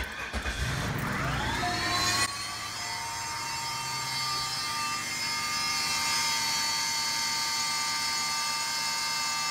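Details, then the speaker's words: 2001 Cadillac DeVille (Northstar) at cold start: a loud, annoying steady whine rises in pitch and holds over idle, like an air pump, cycling on and off as it warms and briefly while driving; secondary air injection pump suspected, pump replaced. "when I turn it on this really loud annoying sound starts going sounds like an air pump of some sort I think it's a secondary air pump"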